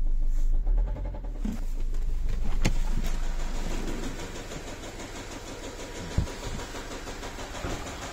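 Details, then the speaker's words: Nissan X-Trail 2.0 dCi diesel at warm idle, 80 degrees, fuel corrections climbing sharply, smell of unburnt diesel: steady knock of three to four beats a second, like a piston hitting. It vanished when revved. Engine knock when warm. "Появился этот звук. Появился этот звук. Та-та-та. Такое впечатление, что поршень лупит."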